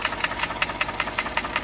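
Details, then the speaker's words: 2014 Ford F-150 3.5L first-gen EcoBoost, good relative compression, loud racket: sharp, hard metallic knocks about five per second following engine speed, pinpointed by stethoscope to cylinder one side, other bank normal; piston slap from a broken piston skirt. "sounds real loud on cylinder one right here I use this stethoscope and I could definitely pinpoint cylinder one this side sounds perfectly normal this side's definitely not though right"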